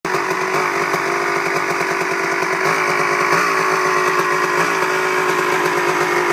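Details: Honda CR250 two-stroke that idles perfectly when first started to warm up, but after 5–10 minutes of riding sputters: ragged, uneven idle that stutters and breaks up instead of holding a clean beat; warm-engine sputter, cause not yet found.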